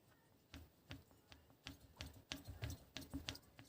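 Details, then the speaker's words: Rear shock absorber removed after a year of knocking in the rear arch: light irregular clacks as the loose top-mount part is shaken; its bolt was not fully tightened, so the part isn't pressed against the rubber bushing. "и причина Вот в этой штуке то есть вот этот вся часть меня болтается если прислушаться"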